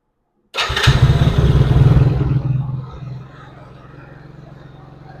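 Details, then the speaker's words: 110cc Chinese ATV after new stator, battery, carburetor and fuel lines fixed its intermittent spark: fires up, races hard, then settles to a fast buzzing idle. Idle speed is set too high; the carburetor still needs tuning. "That's not good. So, I need to reduce that. idle speed a little more."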